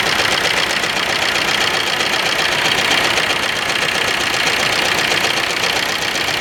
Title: Ertiga diesel engine misfire #automobile